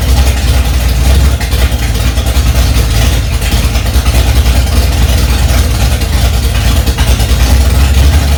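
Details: 1965 Ford Mustang with a freshly rebuilt 289 small-block V8, cold on its first start, mixture screws two turns out: deep, smooth burble holding a steady fast idle, firing evenly without ticking or stumbling; engine sounds healthy.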